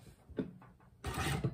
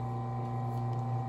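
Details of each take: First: Consew Servo Motor 1000 on a sewing machine, sewing four layers of fabric fast: a few light taps, then a quiet, steady whir with fast, even stitching and no knocking; normal servo motor sewing. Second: Consew 110–115 V clutch motor on a sewing machine: steady low hum holds continuously with the pedal released, the motor spinning constantly at idle as this motor type does.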